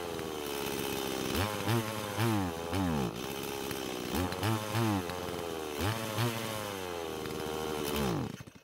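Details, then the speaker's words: Stihl MS170 chainsaw after the fuel-line fitting fix and an idle-speed adjustment: short rev blips over a rough idle, then it sags and dies as if starved; owner thinks the carb cannot supply enough fuel when the trigger is squeezed. "at least it ran long enough that it felt comfortable enough adjusting the idle speed but it still stopped and the way it stopped made it seem as though the car but wasn't able to give enough fuel to the engine"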